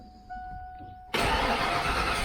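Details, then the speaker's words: Ford Foxbody V8 after bellhousing clearanced and backing plate fitted to cure starter grinding: short steady starter whir, then it catches cleanly and roars to life with no tapping, knocking or grinding; slightly rough from long storage and header leaks. "there's no tapping no knocking the starter sound mint so we're good there guys"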